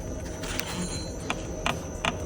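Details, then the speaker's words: Audi A4 B8 on a shaker test stand: short, sharp squeaks about every half second over a steady hum from the coil spring at its upper rubber seat; squeak stops when the spring is slightly loaded, returns when lowered. "Опять начала скрипеть. Сверху пружина стоит резинка упорная. Небольшую нагрузку на пружину даю. Скрип проходит."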